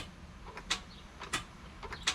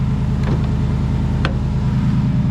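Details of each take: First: Jeep Wrangler JK with a Hemi swap: sharp starter clicks about every two-thirds of a second, no cranking. The battery is fine, so the owner thinks the starter has most likely failed (not confirmed). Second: Jeep JK Wrangler Hemi revving after a starter replacement fixed a no-start: deep, even V8 rumble swells smoothly with throttle and settles back without misses, so the engine sounds healthy.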